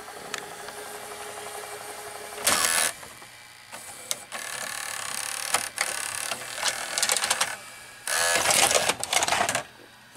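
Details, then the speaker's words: RCA VR335 VCR with a Samsung mechanism, after cleaning the mode switch: short motor whirs and crisp clicks as the transport shifts modes, with no grinding. The earlier rewind noise is gone and auto stop works; the mechanism operates normally. "so the auto stop work and you can hear it's a working River genome after doing it a little bit the nose isn't happening anymore"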